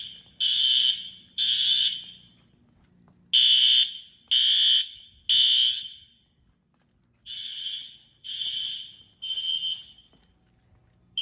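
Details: Fire Lite ES-200X fire alarm system test (replaced a 6808): sharp high-pitched horn blasts roughly one a second in uneven groups with gaps, the horn drowning out a barely audible SpectrAlert; alarm horns sounding normally.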